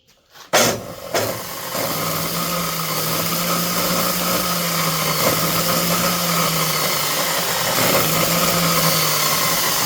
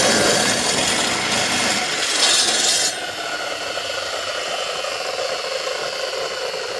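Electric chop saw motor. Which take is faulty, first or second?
first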